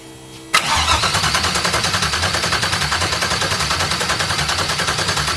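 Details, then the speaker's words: Audi TT MK1 with a swapped LS V8 from a 2001 Chevrolet Suburban, first start attempt on a standalone harness with no ECU communication: the starter cranks steadily at about 3.5 pulses per second but it never fires, because the ignition wasn't hooked up. "noise no noises all right diagnosis time I guess one eternity later I forgot to hook up the ignition"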